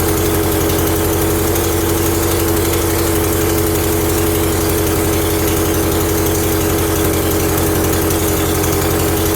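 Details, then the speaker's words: 1975 Briggs & Stratton 3hp horizontal-shaft small engine, first run after revival with a bottle fuel feed: steady high-pitched scream with no hunting or dips, running well above normal speed; suspected overspeed, cause not confirmed. "all right I can't resist trying it oh that sounds screamy but it did run"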